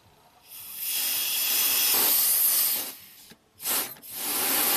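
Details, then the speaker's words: 2007 Acura RDX, 2.3L turbo four-cylinder, 210k miles, P2263 boost performance code: shop air fed into the top of the pressure-operated wastegate actuator gives a steady high-pitched hiss in two bursts as air escapes, possibly a leak. "quite a bit of blow-by i don't know if that's normal"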